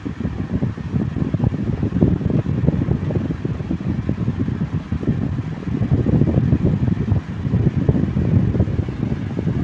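Table fan running smoothly with a steady low whoosh of air and no rattling or knocking.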